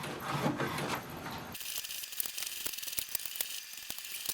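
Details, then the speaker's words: HP DeskJet 2700/2600 series printer printing its alignment page after new ink cartridges are installed; quick irregular ticks and short whirs as the carriage shuttles and paper steps, normal printing. "So we can see it has started to print the alignment page. This will improve the print quality."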